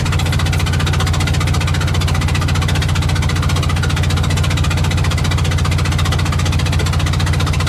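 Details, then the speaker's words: Invacar engine on the road after spitting out a spark plug: lumpy, heavily pulsing beat under four thumps a second, limping on one cylinder with the plug blown out. "I'm just gonna have to see if I can limp back on one cylinder at least to the top of the next hill and then maybe I can coast into town"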